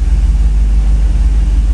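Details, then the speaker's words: 1990 Chevrolet V3500 crew cab, sat years in a field, after fuel system replacement and battery trouble: deep steady rumble with even pulse and no misses or knocks; running well. "oh we got it running baby actually trey and mike did and it's running well"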